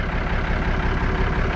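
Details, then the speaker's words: Kenworth Aerodyne K100E VIT with a Cummins diesel, after a decade of neglect, warming up with ATF added to the fuel filter: a deep, steady idle with no missing; smoother once warm, though the owner thinks it may still need injectors. "I don't know, it almost sounds smoother. You think it sounds smoother? I don't know, I don't hear it missing now at idle."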